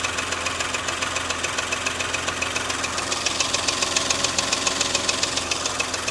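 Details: Porsche Macan S after timing chain and tensioner replacement: sharp regular metallic knock about three and a half times a second over warm idle once off fast idle; piston slap.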